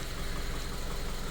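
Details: Subaru FB engine, after a no-oil-pressure fault: aluminium shavings likely from cam journals; after clearing, a deep, even idle rumble with no knock or rattle after an hour running and revving.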